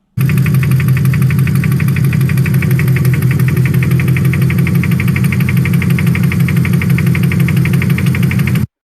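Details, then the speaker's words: Toyota 1UZ V8: heavy hammering knock about three per second over idle, not scissor gears; foreign object knocking in cylinder. "This one didn't sound like scissor gears, sounded like an angry man inside with a great big hammer."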